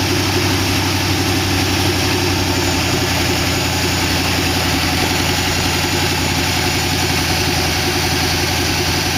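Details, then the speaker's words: 1962 Oldsmobile 392 V8 with Hydro in 1914 Dodge Brothers rat rod, first start with no coolant in it: lifters ticked at startup then calmed, now a steady even idle with smooth low rumble, sounds good. "looks like it's uh actually even idling but the lifters were ticking when i first started it uh they calm down i don't really want to run it much more than this don't have any water in it sounds good though"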